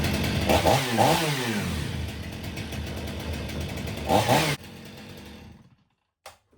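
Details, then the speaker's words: Stihl MS 500i chainsaw, 62 hours, restarted after a couple of hours in -22 cold after running well: catches, revs unevenly a few seconds, then abruptly dies; stalls on restart, with pressure and vacuum testing to follow. "It stalled once on us. That's enough for me."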